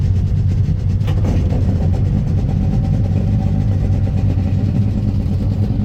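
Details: 1996 Sea-Doo Speedster twin engines cruising after MPEM removal and rewiring; deep even drone at steady cruise with no misfire or stumble, engines running cleanly.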